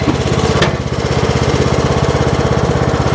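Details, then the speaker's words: Troy-Bilt Pony riding mower climbing a fairly steep incline: engine thumps evenly under load with no surging or belt squeal, no slipping. Transmission and drive belts judged good; healthy drive under load. "Yeah, it's pulling that just fine."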